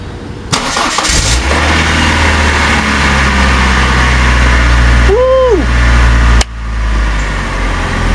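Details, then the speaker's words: 1999 Saturn SL2 after fuel pump replacement (second, warranty pump), battery disconnected a week and charger attached; engine catches after a brief crank and settles into a smooth, steady idle, sounding strong. "Sounds strong."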